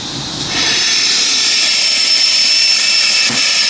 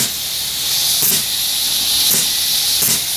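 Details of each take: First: Steam engine and boiler with safety valve at about 125 psi; strong steam hiss with a faint loose chuffing beat, engine turning only about 350 rpm, owner expects faster running once broken in; slow running. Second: Steam engine boiler at about 120–125 psi; sharp high steam hiss with brief surges as the pop-off safety valve starts venting; safety valve lifting normally.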